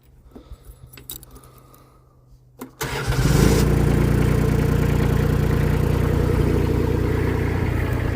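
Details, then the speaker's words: Mini skid steer (V1000) after repair with a new ignition switch, preheated then started: brief crank, catches at once and settles into a steady, even idle; healthy start. "All right. The operation is back in action. All right, so all the units are working good."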